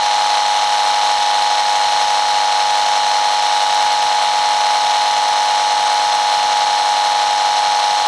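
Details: iFi AC iPurifier mains filter, speaker placed over the microphone while switching units on and off: constant hissing buzz with a thin steady tone and no change; mains electrical noise, purifier seems to make little difference.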